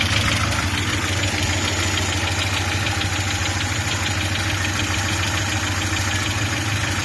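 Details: Audi 80 B3 at idle: irregular rapid knocking, roughly three beats a second, over a gritty engine tone; engine knock, source not pinned down.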